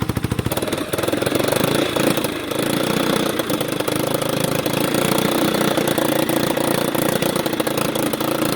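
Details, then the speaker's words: 1989 Yamaha Big Bear 350 single cylinder that sat 10+ years: it chugs unevenly and won't rev, but partly covering the air intake lets it rev out more; it is getting too much air, running lean, so the carburetor is suspected and may need a rebuild kit. "If I cover the air just a little bit. How did I do that before? Revs out a lot more. So that tells me she's getting way too much air."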